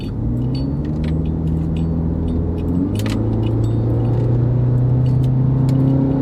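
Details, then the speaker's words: Subaru bought new by its owner, high mileage, air-fuel correction 0%, on a road test. Steady low engine drone with smooth gear changes and some road noise; engine pulls evenly; normal running while driving. "still smooth running car smooth shifting car I'd advise you to keep driving it thing keep taking care of it"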